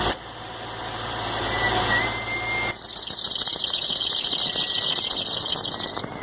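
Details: 2005 Infiniti G35x at engine start: thin high squeal over the running engine with a harsh hissy rise midway; cause still under investigation.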